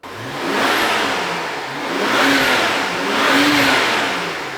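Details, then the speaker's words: 2011 BMW 535i xDrive F10, completely stock exhaust before catless downpipe and tune: smooth, muted revs rising and falling three times, clean and even, healthy but quiet and unlively. "uneventful right I I just it it sounds like stock I'm not a fan so with the cat delete I hope it livens it up just a little bit"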